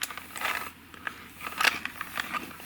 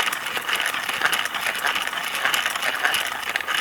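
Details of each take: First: Cassette hand-wound on a belt-driven winder: uneven scratchy crackles and small jerks instead of smooth hiss, tape sticking and slipping, likely from a static-charged slip sheet. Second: Tudor HF Type 1 clear-shell cassette, believed BASF tape, wound on a hand winder before recording on a Nakamichi Dragon: light, even, papery whir with no catches, squeals or thumps; cassette runs very smoothly.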